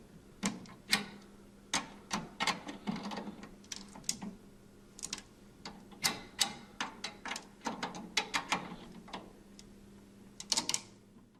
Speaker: these are seated drum head sounds not epoxy crackling the popping is the drum head catching and dragging across the bearing Edge as it's tightened